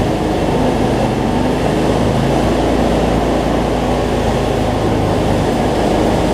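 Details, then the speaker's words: Cub Cadet zero-turn mower, Briggs V-twin, after adjusting a governor that let it race out of control and fixing rich running: steady, even drone at constant speed, holding revs, no surging or black smoke; battery not charging. "so much better though no black smoke so so all right let's see we got multiplied here"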